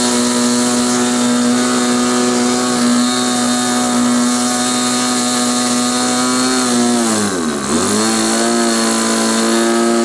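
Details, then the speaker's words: Small glow engine on SIG Kadet LT-40 model aircraft during break-in, just primed and started; high-pitched screaming at steady revs, sagging and dipping sharply before recovering: mixture too rich, needle valve needs leaning. "prime it okay that was obviously too rich"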